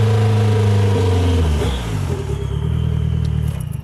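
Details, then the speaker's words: Nissan GA16 engine revved with the clutch pushed in to exclude transmission or input-shaft noise: a pulsing knock comes in around 3,000 rpm and shows as revs drop. Owner suspects a bottom-end knock, not confirmed. "I'll have to go and watch this back to really see for sure but uh I'm pretty certain that is a knock coming from bottom enemy"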